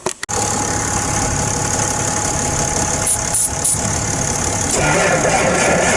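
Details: John Deere machine at 8 degrees in snow and ice, freezing cold diesel: short crank, then it catches and settles into a rough, clattering run after heavy ether use; hard cold start.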